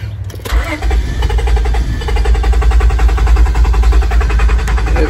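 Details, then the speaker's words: 1999 Honda Odyssey, hot, old main relay plugged back in: starter cranks in a steady slow rhythm but the engine never catches, no relay click heard; failing main relay not powering the fuel pump, new relay fixes it. "she won't start and so I'll plug back in the new relay"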